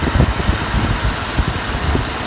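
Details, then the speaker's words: 2010 Ford F-150, 174,000 miles, after replacing a burnt fuse that caused a no-crank: smooth, steady low rumble with even firing, no misses or knocks; normal idle, fixed. "She's running. Just as cool together, 174,000 miles."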